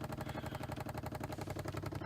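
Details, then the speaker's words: 1993 C4 Corvette lumbar pump after diaphragm repair with a bicycle inner tube, tested before refitting the seat: quick even pulsing about eleven beats a second with low buzz, no skips or knocks, inflating; normal running. "you can try out the button and see if the lumbar pump and you can hear it going and I want to say it looks like yep it's definitely inflating"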